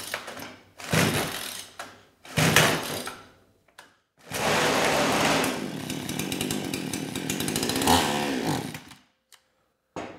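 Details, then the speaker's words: Kraftworld KW-5800 58cc Chinese two-stroke chainsaw, run on straight fuel, about 40 PSI compression: starts at full throttle with choke on but fires in rough bogging bursts, won't rev; choke off it revs a little then dies. Suspected carburetor/fuel issue. "the saw starts when you have Full Throttle choke on can't get it to rev up at all and if I turn the choke off it starts to rev a little bit and then the engine promptly dies"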